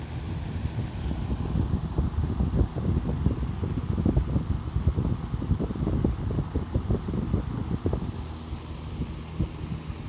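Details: Restored vintage Emerson box fan, rusty motor marked SKS 45, about 1500 rpm, blades refitted, run on high: steady low whooshing rumble with even blade flutter, no knocking or scraping. Normal running.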